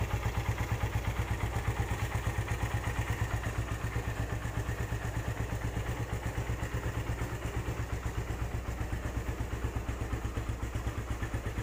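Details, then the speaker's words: Used Suzuki Satria FU 150 motorcycle engine running steadily with an even, light "tek tek" ticking and nothing harsh underneath. Said to be typical of the Satria FU, and the engine is judged quiet and good. Normal running with light valve ticking. "menurut saya motor ini cukup lumayan bagus ya dari segi mesin masih Hai suaranya nggak berisik kalau Satria sih wajar aja jika ada suara-suara tek tek tek tek seperti itu itu emang penyakitnya Satria FU rata-rata seperti begitu"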